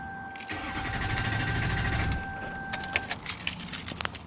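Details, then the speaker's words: Duramax LBZ diesel after a fuel filter change to a CAT filter with aftermarket adapter, fuel system not yet bled or primed: about 1.5 s of low cranking over a steady chime, then it stops turning without firing; crank no-start from unprimed fuel. "alright I took a little bit longer to start there and there's nothing now so that wasn't the right thing to do so"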